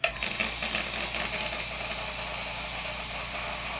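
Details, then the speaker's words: New airbrushing air compressor, first switch-on: brief thump, then a steady even hum and hiss with no knocking, rattle or labouring; normal running. "not too bad I'll have to listen back and see what the noise level is compared compared to my two horse seers it is nasty yeah that's not bad at all I can deal with that noise level"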